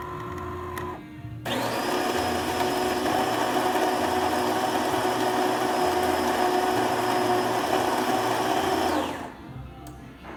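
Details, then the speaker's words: DeLonghi Magnifica after tune-up (new brew gaskets, infuser, lubricated transmission shaft, descaled), earlier noisy with slow coffee: steady grinder whir for a full test shot, normal grind cycle. "we also descale the machine and now here it is working great so we're going to test it full shot"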